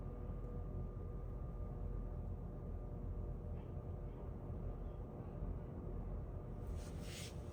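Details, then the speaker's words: Vintage 1950 GE 12-inch Vortalex 3-speed oscillating table fan, model FM12V43, on low: soft even low rumble with a faint steady tone, no rattle or ticking; runs smoothly and super quietly. "I hope you can hear that. This one is super quiet."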